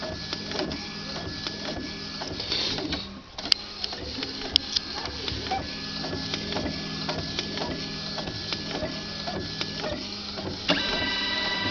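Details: Epson XP-3700 inkjet printer, which had been locking its carriage and making strange noise, now printing normally after reseating the cartridges: steady motor hum and regular, even carriage strokes.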